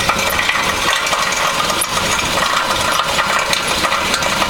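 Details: 2000 Honda Civic at idle with a metallic, coin-like, loose irregular rattle and knock; catalytic converter or exhaust knocking.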